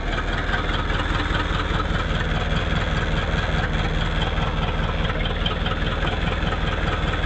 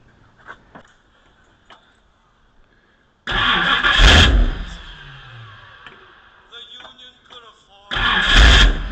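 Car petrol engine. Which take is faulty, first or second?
second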